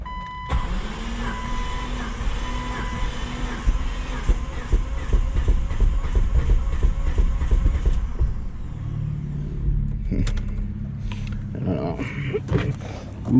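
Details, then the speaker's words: Project Bravo engine on a new battery; the fuel pump primes and there is a strong fuel smell. The starter spins at an uneven, lazy rhythm for seconds without firing. The owner suspects no pressure and that the new Fel-Pro head gasket didn't seal. "ooh it almost started just need to get it going I don't know it almost sounds like there's no pressure sounds like it wants to"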